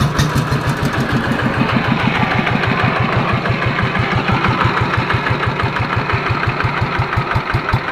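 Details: Yanmar TF115 LM single-cylinder diesel after repair for hard starting (pump plunger and other parts replaced; inner bearings not done): steady even chug about three beats a second; idles normally with good pressure, no misses or knocks.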